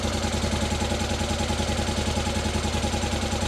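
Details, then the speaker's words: Rebuilt Honda Africa Twin after restoration: smooth, even twin-cylinder tick-over at the correct speed with exhaust purring, after removing a spring on the top screw that was restricting movement and preventing correct idle; normal idle. "Tick over is just about bang on, I would say. And listen to that exhaust purring."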